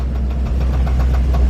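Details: 1948 Ford F5 flatbed with a Mercury 256 flathead V8 that has valve issues: steady low idle with a regular light knock about seven times a second, source unknown; pressing the clutch doesn't change it, so likely not clutch related; reportedly new.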